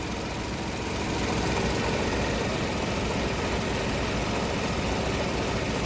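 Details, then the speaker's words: 2015 Ford Ka 1.0 three-cylinder, towed in cranking but not starting, after replacing the sooted upstream oxygen sensor (B1 S1) and harness diagnosis: steady, even idle with constant low rumble, no misses or surging; engine running noticeably better per scanner. "Até o funcionamento do motor já é outro, né? Já mudou até o funcionamento do motor aqui pelo scanner."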